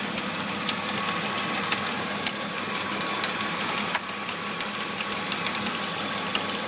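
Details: BMW E46 325i engine bay at idle: light, irregular metallic ticking and rattling over a steady idle, appearing after the pulleys, serpentine belt, radiator and power steering pump were replaced; source not yet pinned down.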